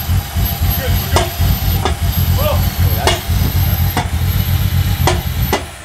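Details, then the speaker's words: Barra turbo six swapped into an EF Falcon, first start at 45 fuel pressure: hard, irregular knocks about once a second over a lumpy idle, with the MAP sensor unplugged leaving an open intake hole; knock from intake vacuum leak. "there was something like knocking really hard over here but I don't think um it was anything that that bad"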